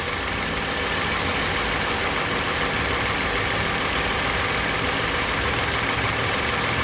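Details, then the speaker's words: 2010 Toyota Camry XLE after water pump replacement, engine started: even, steady idle with only a light valve tick, no whine or grinding from the front of the engine; normal idle. "all you hear is the valve where my right hand is i don't hear nothing"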